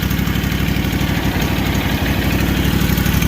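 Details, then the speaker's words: Rebuilt Kawasaki FR730V V-twin just installed in Cub Cadet SX60, first run on choke at low throttle, no fuel or oil leaks, some oil smoke; steady, even low thrum, no knocks or misses; normal idle. "No fuel leaks, no oil leaks. Sounds good, don't it?"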